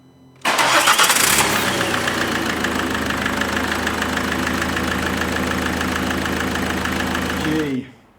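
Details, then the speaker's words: 2014 Ford Mondeo 2.0 Peugeot diesel, after replacing the leaking injector copper seal washer and leak-off pipes: it catches quickly and settles into a steady, even diesel idle clatter with no misfire. The engine runs normally. "I am so glad this is fixed"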